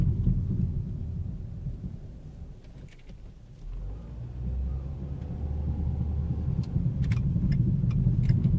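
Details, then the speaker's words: 2010 Ford Focus, noise began two days earlier, while driving: low rumbling thump three or four times a second following road speed, traced to the right rear tyre. "Ça vient vraiment de la droite. Le pneu droit arrière."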